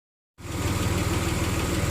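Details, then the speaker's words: 2002 Nissan Xterra 3.3 V6, about 200-some thousand miles, after fixing fuel injector problems that caused shaking; smooth even idle with steady low hum, no stumble or shake, normal idle. "wow she sounds good now 2002 nissan xterra 3.3 about 200 some thousand miles on it"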